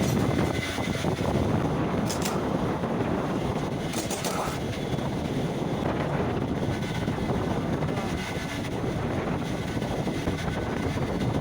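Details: Single-cylinder bike engine, likely a Bullet, running with a dense, steady metallic clatter over its low thump; suspected timing chain noise, unconfirmed.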